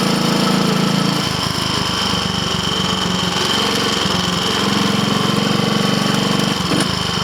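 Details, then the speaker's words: Triumph Tiger Cub (Bantam Cub) single on road test, engine of unknown rebuild history, timing and valve clearances known right; heavy uneven thumping with metallic rattle, labouring and pinking on climb; rider suspects carburetor needle should be raised. "all right tell you what I'm actually going to turn around this is not good we go back I don't want to damage the engine shouldn't be struggling like that"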